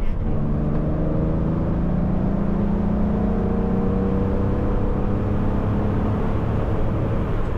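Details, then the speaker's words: 1970s Porsche 911 Turbo, 146,000 miles, ex-Las Vegas rental, driving on the road with new seals: smooth, even engine drone rising and falling with throttle over road noise, no knocks or misses; normal running. "sounds pretty darn good. And I do appreciate Leonard putting on new seals because it is fairly quiet for a 70s car as far as wind noise."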